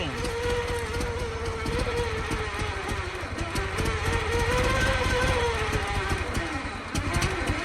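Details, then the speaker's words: 1914 Buick four-cylinder with 1776.4 original miles, stored about 85 years, started by hand after a few pulls: catches readily and settles into a steady, even beat without misses or knocks. Normal running. "It's never supposed to take too many pulls, and just like that she fires right off and runs."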